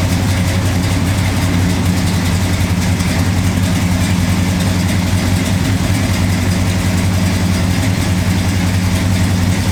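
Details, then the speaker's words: 1968 Camaro carbureted V8 idling on E85 after 5 years off the road: deep, loud, slightly lumpy idle holding steady with a lopey cam rhythm and no knocks or misses; sounds bigger on E85 than on gas, healthy. "Sounds a little different, doesn't it? Yeah, it does. The camshaft sounds a little bigger in it on E85."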